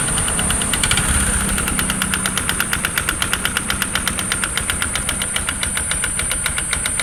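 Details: Platina 100 motorcycle, 28,547 km: steady idle with a sharp metallic tap about four times a second, even and persistent; piston slap.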